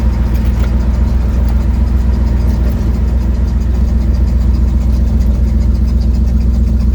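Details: Ford Mustang 1972 with an exhaust leak, driving home, phone mic on the dash: heavy low rumble with a ragged, chuffing pulse riding on the engine note.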